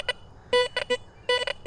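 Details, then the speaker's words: Garrett Vortex VX9 metal detector with bottle cap reject at 5, in a trashy park area: choppy mid-pitched pings breaking into several short bursts within two seconds, with jumping numbers; judged an iron junk target, not a bottle cap. "But that audio and those numbers tell me this is junk. I would not call that a bottle cap."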